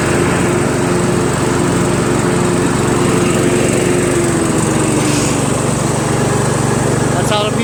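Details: Troy-Bilt Pony lawn tractor, PTO/mower deck engaged, after hole drilled out to cure surging: strong, steady drone with blades whirring, even speed without surging; normal running with PTO engaged.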